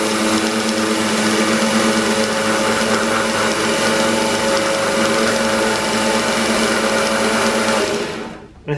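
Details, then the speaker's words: New Harbor Freight 1x30 belt sander on its first run after unboxing: steady high whir with a slow out-of-balance pulse of about three a second and slight roughness; owner suspects bearings needing grease or wheels not running true. "some vibration to it what I may do is pull this thing apart and maybe greas some of the bearings to make sure they're okay"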